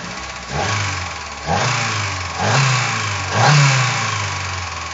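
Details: Opel/Vauxhall C20XE four-cylinder petrol engine blipped through several short revs, with a hard, uneven knock riding on the idle between blips; source unclear.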